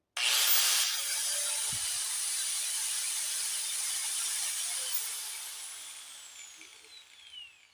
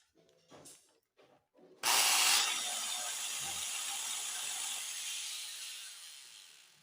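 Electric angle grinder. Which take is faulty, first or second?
second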